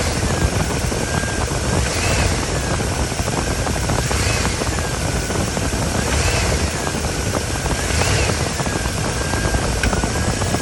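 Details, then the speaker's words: 2013 Cadillac Escalade V8 idling in drive on the brakes and blipped: clunk as the engine lifts, felt on accelerating from a stop; broken left engine mount, after struts, sway bar link and control arms replaced. "come to find out that is uh what it is is the motor mount on the left side"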